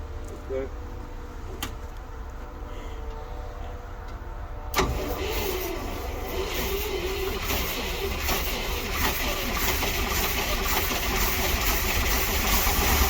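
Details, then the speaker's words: 1961 Dodge C800 truck V8, first run after long sitting, with little cooling: cranks and catches, then runs rough with a loud hissing rush from a big vacuum air leak. "as you can hear there is a big air leak but we got lots of things to contend with too at least it's freaking running"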